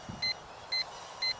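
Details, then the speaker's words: Hubsan H122D X4 Storm quadcopter in flight outdoors, battery down to 6.7 V: three short, loud high beeps about half a second apart over faint outdoor noise; the drone's low-battery buzzer is going off. "You can hear the OSD, not the OSD, you can hear the buzzers going off, telling me that the drone is at 6.7 volt."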